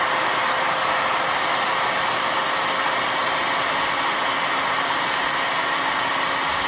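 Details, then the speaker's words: 2-stage 4.5-inch Tesla turbine after a 1200 W run with no struggle; steady high airy rush with a faint constant tone, spinning fast and even, but bearings have too much friction resistance and will be replaced. "Yeah, these bearings are way too resistant. It's still got a lot of friction resistance in these bearings, and I will be replacing those and changing that."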